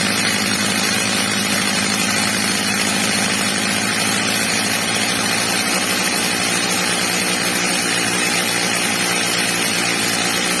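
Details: Old, well-worn Stihl MS230 chainsaw after fitting a new replacement carburettor and tuning it: H-screw max revs set slightly below the ~14,000 rpm target; steady, even high-pitched scream at full revs with no surging or bogging, normal high-speed running.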